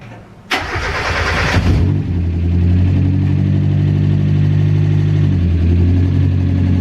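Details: Mazda MX-5 Miata NA with a DIY turbo install, first start after priming the turbo with oil. A brief crank, it catches immediately, flares, then settles into a steady, even idle with a deep constant hum. It starts and runs normally.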